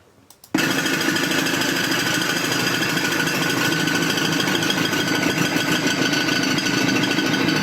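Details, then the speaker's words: Engine knocking from running out of oil: harsh metallic clatter, about three hits a second. The owner had heard the metallic noise for a couple of days and kept driving it to the workshop, so the engine could seize at any moment. "You already hear that noise. Here the problem it has is that this car has run out of oil. So what could have happened is that since it was driving with the engine without oil, at any moment the engine could have seized on it."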